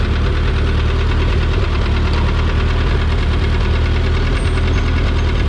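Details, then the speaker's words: 1952 Ford 8N tractor in forward gear: steady low drone with rough knocking rattle, seemingly from PTO cover area; gone with clutch in or in reverse, louder in fourth and at cold start; transmission bearing suspected, throwout bearing good. "When I put it in forward, it makes, you hear that noise? It sounds like it's coming from the PTO cover, or inside where the PTO is."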